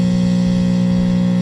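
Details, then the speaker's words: Filter capacitor from a 1927 RCA Radiola 17 filter-condenser block, tested through an amplifier with polarity reversed: steady low mains hum with a buzzy edge, like a radio with a bad filter capacitor. "You can definitely hear a hum, something like a hum you'd get on a radio with a bad capacitor."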